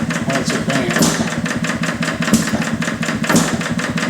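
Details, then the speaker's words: Detroit Engine Works 2HP old single-cylinder engine after repair, ignition advanced slightly from top dead center for more power: crisp, evenly spaced exhaust beats with no misses or knocks; normal running. "I don't know if you can hear it on the tape, but I can. The exhaust note's just a little crisper"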